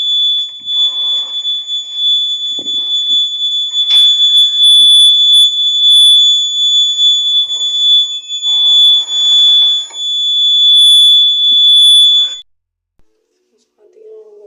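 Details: Homemade safety door alarm (mini buzzer, 9 V HW battery, clip with two metal pins, TV-remote circuit board) sounds a shrill, steady high-pitched buzz for about twelve seconds when the card is pulled from the clip, then cuts off cleanly; buzzer working.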